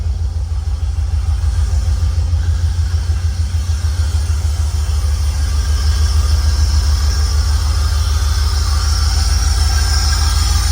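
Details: Holden VN Berlina 5.0L V8, just bought and freshly started after fuel was added. It holds a firm, even low rumble with no misses, stumbles or knocks: normal idle.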